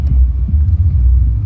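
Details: 2011 Toyota Camry with P0302 cylinder 2 misfire, deep uneven rough idle that stumbles and dips; fixed by replacing spark plugs and ignition coils.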